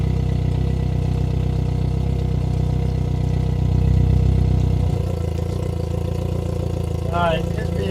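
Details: Engine jump-started by a 2000A jump starter in boost mode with no battery connected: steady low rumble with an even beat, then it drops away at shutdown; runs cleanly.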